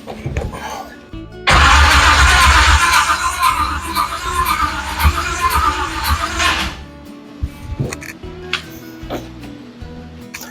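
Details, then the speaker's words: 1970 Chevy C10 with a 5.7 Vortec 350 from a 1998 van and a 700R4, first startup with choke set and a new electric fuel pump: it cranks and catches into a rough, lumpy, uneven idle. Ignition timing is off and was adjusted later. "To me, it sounds like it's a little bit out of time. first and foremost."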